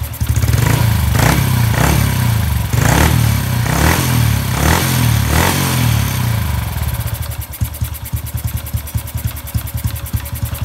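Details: Honda Wave 110i whose modified engine was returned to stock, with the ECU remapped back to the standard factory map: a few quick throttle blips, then a light, even putter with no stumbling. Normal idle.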